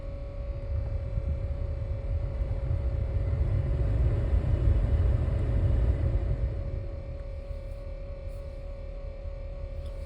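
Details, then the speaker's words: 2012 Nissan Pathfinder R51, warmed up, heater on: steady mid-pitch whir/growl from center-left of dash, unchanged by fan speed or mode, stops only with HVAC off or sometimes when dash is hit; once only on bumps, now constant. Cause unknown. "Um, used to do it only when I hit bumps. Now it does it all the time."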